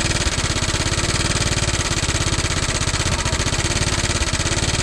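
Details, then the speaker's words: Motorcycle at idle with a loud, fast, even clatter on every firing pulse. It appeared while riding downhill and has grown louder; the belt side cover was checked and nothing was found. Cause unconfirmed. "Pangit ng tunog, boss. Parang may kumalas na ewan, eh, no?"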